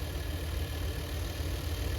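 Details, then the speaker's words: Chevy G20 conversion van: even, steady low idle rumble with no stumble or dropped beats; now smooth on all cylinders instead of sounding like six. "That's That's a big difference, too. It's already running. It sound like it was running on six cylinders before."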